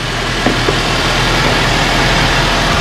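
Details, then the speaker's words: 2007 Nissan X-Trail, first run after a head gasket replacement with a reconditioned head; started straight away. Steady, quiet idle with an even low hum and no knocks or ticks: healthy. "and i put the new head return reconditioning and first up it goes straight away i'm very happy very quiet very happy"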